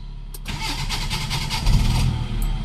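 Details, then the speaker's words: Car with dual-fuel LPG conversion, petrol side unusable for 2 years, brought in for idle problems (revs drop with A/C on or in gear): started on gas, quick crank and clean catch, then a steady, even idle with no hunting; normal start and idle. "สตาร์ทแก๊สก็ผมว่ารอบเครื่องถือว่านิ่งอยู่นะเบิ้ลๆอะไรเพราะคันนี้รถใช้แก๊สตลอดนะครับ"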